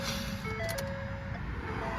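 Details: 2010 Ford Fusion with a bad steering, at startup: a few clear chime tones over a low engine hum; the normal old Ford startup chime.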